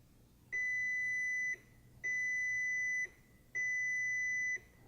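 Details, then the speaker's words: MK5 VW GTI 2.0T TSI, scan tool on the OBD port scanning every control module: three steady high-pitched beeps about a second long with half-second gaps; normal ABS module beep during the scan. "that beep is gonna be normal when it's checking through your abs system it will often make that noise"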